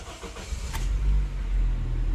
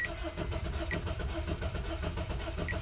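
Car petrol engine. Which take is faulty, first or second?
second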